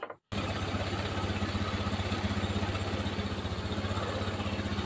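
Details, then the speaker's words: Honda Scoopy carburetted scooter on a test ride: uneven idle with a lumpy, wavering beat that rises and dips, plus weak acceleration; leaking valves losing compression cause the unstable idle. "Iki tak pastike klepe bocor 100%, Pak. Makanya langsame reso stabil, akselerasine kurang, langsam ndak stabil, Pak."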